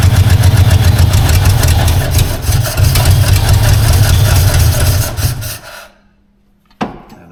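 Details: 1952 Ford Crestline long-stored engine with suspected vacuum leaks: deep lumpy running for about five seconds, then sags and dies as if out of fuel; fuel starvation suspected, cause not confirmed.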